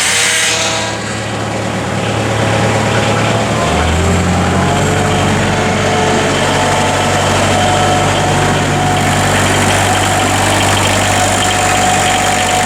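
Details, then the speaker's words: Bobcat 743 diesel after glow plug replacement, fuel lines bled with some air possibly left, extra glow time: catches after a brief crank and settles into a steady, even idle with no misses or knocks. "so give this a little bit more uh glow plug There She Goes she's a runner she is a runner"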